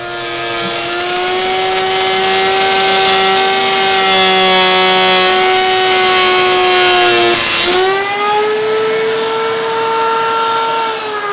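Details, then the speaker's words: Flush-trim router with bearing riding a template, shaping a bench rear leg fed at medium-slow pace: steady high whine under load, then a sudden dip and recovery as the bit catches the grain, causing a little tear-out. "Now, I did have one area that just caught the grain and there was nothing I could do, so I do have a little bit of tear out."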